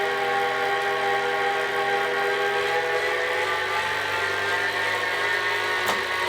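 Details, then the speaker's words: Kinetic R1 direct-drive smart trainer spinning: a steady, loud tonal whine with a buzzy edge, louder than other trainers in its price range despite the quiet claim; slight vibration at lower speed. "the company does claim it is quiet on their website but I wouldn't say this is quiet at all this is louder than other channels in this price range and even the mid-range trainers these days are much quieter"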